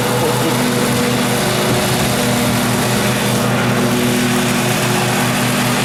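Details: 2012 Husqvarna riding mower that survived a flood, run before any carburetor cleaning: a steady, unbroken low drone with even hum and no misses or knocks, a normal smooth V-twin idle.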